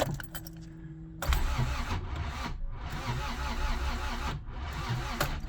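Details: Honda Civic EF sedan after its timing belt failed, with a new distributor and spark plugs fitted: the starter spins steadily for about four seconds with no firing at all.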